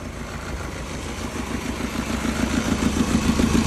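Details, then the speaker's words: Toyota Matrix that keeps cutting off with no power: uneven lumpy idle with regular stumble about three times a second; spark check shows one coil with no spark, dead ignition coil leaving it running on three cylinders. "so no spark look at that so she's running off of three cylinders"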